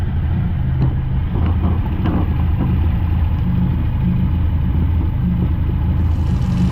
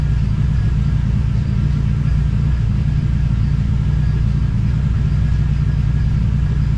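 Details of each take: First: TVR Cerbera idling after the rough-running fault was traced to a sensor: running on one sensor with the other disconnected, it gives an even, steady low rumble with no rattle or hunting, running smoothly like a new car. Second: TVR Cerbera with rough running and random misfire: engine drones with uneven, lumpy low beat and won't run clean; owner considers disconnecting one of the two throttle position sensors.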